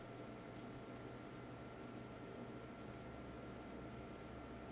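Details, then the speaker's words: Watercooling pump running at full speed, mounted on a Shoggy Sandwich foam and rubber decoupling mount, microphone at the same distance as the table test: faint, steady low hum with a thin even whine, no rattle; vibration noise well suppressed. "as you can hear the shaggy sandwich does its job of suppressing the pumps vibration noise very well"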